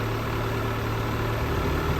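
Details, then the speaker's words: Volvo Penta 3.0 GLP-J GM-block marine engine heard from mid-boat, returning from 4000 to 2000 rpm and then to idle: low, smooth, steady idle with an even beat and no knocks, ticks or misses; a good healthy engine. "back to 2000 now go back to idle now so that's what a good engine should sound like"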